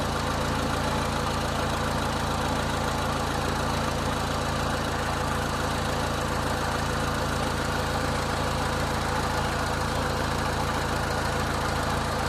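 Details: 2000 Honda Civic 1.6L SOHC after replacing the whole distributor (old cap cracked, moisture inside), during water test: steady, even idle with smooth low hum, no misses or stumbles; fixed.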